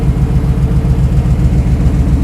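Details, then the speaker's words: 1968 Ford Bronco, warmed up; fan came on at 195°F, read from cylinder head temperature not water temp sender; steady, even low idle with smooth pulse, no knocks or misses; normal warm idle. "so we're letting things get up to temperature kind of a makeshift system but test to see if that fan is going to come on so the fan has come on 195 degrees"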